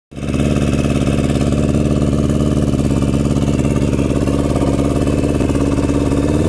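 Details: Turbocharged 2003 Yamaha R1 (TD04L-13T turbo from a Subaru WRX), first startup with modified injectors: uneven lumpy idle with a limping three-cylinder beat because one injector was not firing; one cylinder dead.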